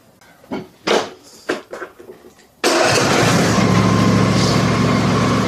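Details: Husqvarna YTH24 mower, Briggs & Stratton Intek V-twin, after replacing leaking plastic intake manifold with aluminum part 797503 and new breather gasket: a few cranks, then steady, even running with no popping, backfiring or stumbling.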